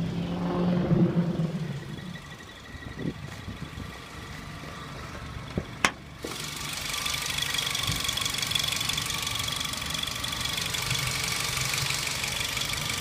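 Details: Nissan B15 Sentra SE-R Spec V idling with thin, high chirp that comes and goes intermittently.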